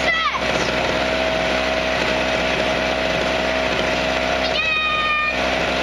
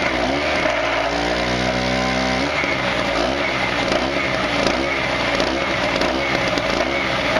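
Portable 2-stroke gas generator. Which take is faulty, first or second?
second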